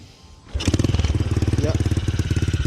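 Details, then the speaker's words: Custom Honda Monkey-style bike with a Honda Karisma engine is kick-started and idles with a thumping, slightly stumbling beat under a muffled exhaust; the carburettor likely needs adjustment. "Suara knalpot yang teredam itu sebenarnya cukup merdu. Suaranya tidak terlalu berlebihan. Masih agak tersendat-sendat, bro. Pengaturan karburator mungkin perlu sedikit penyesuaian agar mesinnya berjalan lebih baik, bro."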